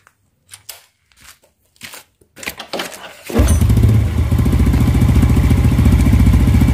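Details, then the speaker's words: Yamaha Vega R New single-cylinder at idle and with slight throttle, engine warm: an even klak-klak clatter at about three to four a second. It is loudest at the clutch side, traced to a very loose clutch housing. "menurut saya ini di bagian kopling kalau kayak gitu karena paling terdengar itu di bagian kopling dibanding bagian komponen lain itu"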